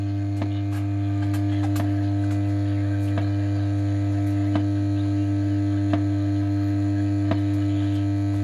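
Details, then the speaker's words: Pilot radio: strong, steady low mains hum dominating, with faint crackles over it; owner suspects an open-circuit reservoir capacitor, unconfirmed. "now it sounds like the reservoir cap is open circuit but i can hear rta in long"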